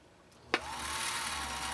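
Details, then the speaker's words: Husqvarna Viking automatic sewing machine rescued after being backed over by a car, untested, bobbin winding via the foot controller with no clutch to disengage. A sharp click, then a steady, even motor whir with no grinding while the needle stays still: normal bobbin winding. "On a Husqvarna automatic, you slide the bobbin on, like so, and then when you press the foot controller, you'll see that the bobbin turns."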